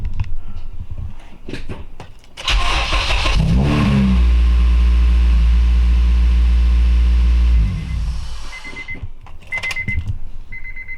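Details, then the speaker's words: Acura RSX with a high-compression engine, after relocating an Optima battery to cure a slow crank; alternator cable not yet connected. Brisk, even cranking for about 1.5 s, then a clean start into a steady idle: normal crank, slow-crank fault fixed. "sounded pretty good to me the true test is if it does it again"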